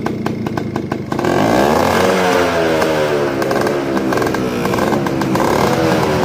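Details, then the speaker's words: 1995 Yamaha Alfa two-stroke with original engine, kick-started because the battery is weak: a few easy kick strokes, then it catches and revs freely with a crisp, even buzz; healthy engine that starts readily. "Kalau motor enak itu meskipun di kick itu enak teman-teman ya, empuk ya, rasanya ya langsung bunyi gitu. Nggak susah gitu lah."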